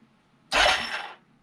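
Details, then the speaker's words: 1989 Yamaha Moto4 350 budget rebuild, in neutral, first electric-starter crank with no spark plug fitted, before compression check; short even whirring crank with no clunk or bind: normal cranking. "It should turn it over. There's no spark plug in anything like that. But we should hear it turn."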